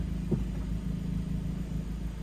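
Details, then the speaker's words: Modified stage 2 2016 VW Jetta S 1.4T EA211: a single dull thud over steady idle when the wheel is turned fully right just before lock, as the sway bar end link catches the fender liner. "basically when i cut the wheel all the way right right before it locks um the sway bar inlink that's on this side of the car actually catches the part of the fender liner"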